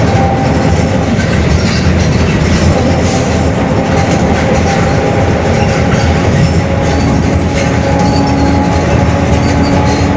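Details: Bus Mascarello GranVia Midi 2014 body, Mercedes-Benz OF-1721 Bluetec 5 chassis, built 2021, urban service: steady low constant-tone drone under road noise while cruising: growling rear differential.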